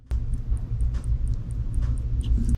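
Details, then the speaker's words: Faint, steady high-pitched ticking about four times a second over a low hum from rebuilt LED/halo S550-style headlights on a 2011 Mustang. Owner suspects the regulator is going bad. The clicking is intermittent and later stopped. "well guess what's happening again the regulator's going bad i don't know if you can hear that"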